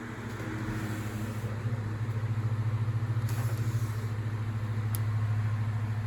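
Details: Vintage Galaxy 9-inch desk fan, believed model 2154, the second of a 70s/80s pair: a steady low hum with an even blade pulse and no rattle or scraping, running normally. The motor is thought to be a higher-quality old Sanyo motor with a distinct sound.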